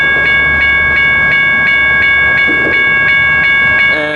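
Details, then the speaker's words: Railroad crossing #1 at Richard Arrington Jr. Boulevard, Birmingham, Alabama (NS West End District) stuck active: ringing bell about four strikes per second nonstop over traffic; blown bulbs; owner suspected a ballast train nearby caused the malfunction. "all right i'm out here at richard harrington junior boulevard number one in birmingham alabama as you can see the crossing is malfunctioning"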